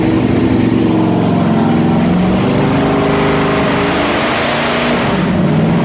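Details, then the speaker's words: 451 big block Mopar stroker for a 73 Dodge Charger, on an engine dyno, never ran correctly since built: loud V8 holds high revs, wavering and surging as the water brake runs out of water. "What actually happened was we ran the water brake out of water on the dyno, so we have to put more water back in it. And now we're working through an issue where it seems to be accelerating and then stalling and then accelerating and"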